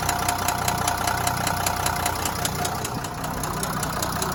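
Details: Renault V9X 3.0 dCi diesel at idle: sharp regular metallic knock two to three per second; connecting rod knock.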